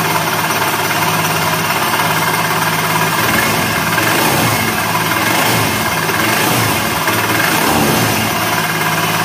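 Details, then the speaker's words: Honda Beat FI scooter engine running rough, helicopter-like whirring whine that worsens when revved: typical of a worn left crankshaft bearing, whose open design gets less oil than the right one. "Kalau suara seperti ini biasanya itu krek as ya, klaker. Jadi bearing yang sebelah kiri itu biasanya aus. Itu bunyinya ya kayak gini suaranya, kayak helikopter ya."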